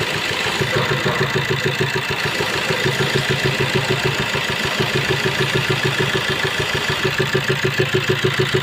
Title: S cross 1.3 diesel engine noise due to rocker arm broken